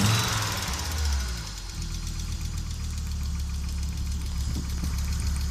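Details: Audi Coupe after an NG-to-AAR engine swap: hard starting, many misfires, and it stalls while driving. Uneven, stumbling idle with irregular dropped beats and a lumpy low rhythm. Misfiring cylinders; cause not yet pinned down.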